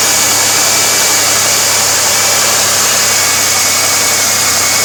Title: 2002 3.8 Firebird Vacuum Leak